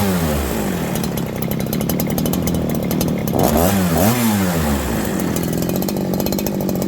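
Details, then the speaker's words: Farmertec 288 kit chainsaw, warm and started with choke, low and high jets at 1.5 turns with idle screw turned in, after an earlier flywheel-loosening ignition failure: it runs high and buzzy with revs surging up and down unevenly; it sounds lean and a massive air leak is suspected. "Friends, listen to this saw run now. I think we have developed a massive air leak."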